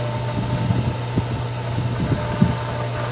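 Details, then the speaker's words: Pool pump first start of season after opening: steady motor hum with irregular gurgling blips, no settled flow sound; running unprimed, drawing air, may need more water added. "the little sounds are not bad we might need to stop down and add some more water i kind of know based on the sound of it right now it sounds like it's really trying to pull some water"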